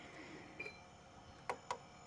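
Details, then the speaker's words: Chest freezer that won't cool while its fan still runs; the compressor started briefly and died. The overload gives sharp, separate click-clack sounds with no steady motor hum, possibly from overheating, high amps or a failed start. Overload protector clicking. "terdengar juga ya untuk overloadnya bunyi cetak-cetik teman-teman ini karena adanya over panas atau adanya ampere tinggi atau adanya gagal Star kita belum mengetahui"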